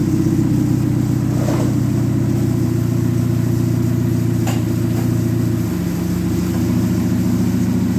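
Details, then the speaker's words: Dodge Neon stock car after crash repairs and a gear change, wheels turning, transmission run through the gears and reverse before the fluid check: steady low engine drone, note dropping slightly at each shift; smooth, even, running normally. "Now we're going to run the transmission through the gears and we'll check the fluid level."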